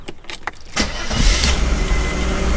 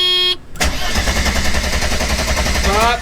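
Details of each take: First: 1991 Mercedes 300E, about 200k miles, non-running car, oil clean and full, intake refitted: a few short cranking bursts, then it catches and settles into steady low rumble; starts and keeps running. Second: 1991 Mercedes 300E, about 200k miles, non-running: about two seconds of steady starter cranking with no catch; spark test shows no arc, so the fault is somewhere along the ignition.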